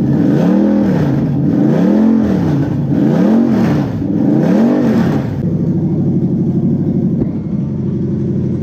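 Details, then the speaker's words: Toyota 1UZ-FE V8 on new UCF20 non-VVTi wiring loom, run up hot, revving in slow surges with ragged note and uneven popping; engine has a known valve problem. "if you do hear it popping if you watch my engine health video you'll understand that this engine's actually got a valve problem"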